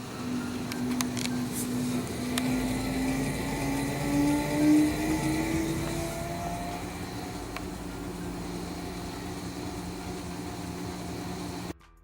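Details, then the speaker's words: Kenmore/Maytag/Whirlpool washing machine after replacing tub bearing, shaft and seal: steady smooth whir on spin cycle, no grinding or rumble, normal. "look at that spin so this is what it sounds like on the spin cycle"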